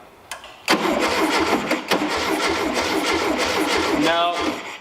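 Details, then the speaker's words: 1973 VW Beetle with a replacement engine just installed: steady cranking at about three turns a second with no firing; there is power at the coil's hot side but no spark, and a distributor fault is suspected. "so I I do have power on the hot side of the coil which is good that's what I need but I'm not being sparked and that's probably because the something's funky in the distributor"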